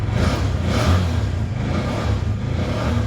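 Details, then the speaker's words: Bajaj BS4 engine in neutral after timing chain jumped, oil leaking at magneto oil seal, shaft needs replacing; small revs with loose kitra-kitra rattling clatter over exhaust note, abnormal top-end noise; engine rattle when revved. "ಆ sound ಕೇಳಿಬಿಟ್ರೆ ಬೇಜಾರಾಗಿಬಿಡ್ತೀರ ನೀವು ಇಂಜಿನಲ್ಲಿ. ಹಾಂ, ಕಿಟ್ರಾ ಕಿಟ್ರಾ ಕಿಟ್ರಾ ಕಿಟ್ರಾ ಅನ್ನತ್ತೆ."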